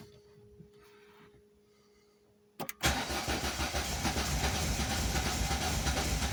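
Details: Volvo 480 Turbo after new spark plugs, cables, rotor and distributor cap, after long wet storage; starter spins engine evenly about four beats a second without catching; cranks, no start; tries to start with fuel added at intake; fuel pump or relay failure suspected.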